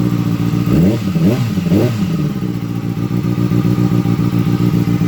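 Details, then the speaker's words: 2007–2008 Kawasaki ZX6R, engine still cold, after the cam chain tensioner was reset and reinstalled: three quick throttle blips then a smooth steady idle, ticking gone, much quieter. "The engine is still cold. Oh, that's much better. That's much more quiet."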